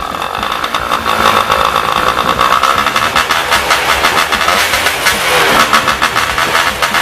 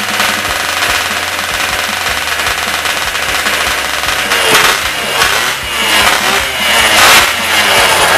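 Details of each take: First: Yamaha Y110SS two-stroke after cylinder boring and new piston rings: idle still unstable, rpm surging and sagging instead of settling; carburetor likely also blocked, then removed for cleaning. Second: Yamaha Y110SS two-stroke motorcycle after cylinder wear repair and carburetor cleaning, which caused its unstable idle: crisp, even idle with a few light throttle blips, now normal.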